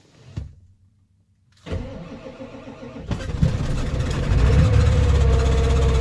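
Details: OBS Ford Powerstroke 7.3 diesel cold start at about 8°F, oil very thick, glow plugs cycled, fuel not gelled: slow labored cranking, then catches and clatters to a rough loud idle; hard cold start.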